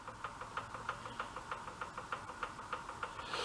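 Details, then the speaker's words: Dune buggy engine turned over by hand after a low-oil shutoff: light, regular clicks about three a second; play suspected in a connecting rod at crank or piston, possibly cam-to-crank gear, not confirmed. "I think that's a knock from a um a rod where it Mees to crank"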